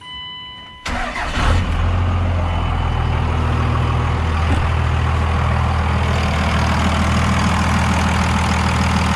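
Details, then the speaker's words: 2001 Ram 3500 with 24-valve Cummins diesel, over 100k miles, just after a valve lash adjustment: short crank, catches right away, then steady even diesel clatter at idle with no ticking; no audible difference from before, normal idle. "So honestly, I don't know. I can't really tell sound difference at all, but you know what? It's a warm and fuzzy knowing that it's done now."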